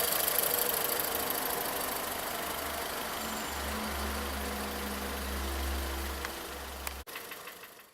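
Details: 2014 VW Polo at steady idle with a light, regular tapping knock about three or four a second; scan shows misfire faults on cylinders 1 and 4 with warning light on, coil suspected; knock source not yet found.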